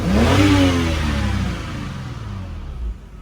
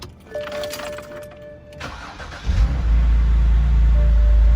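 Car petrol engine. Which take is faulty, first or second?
second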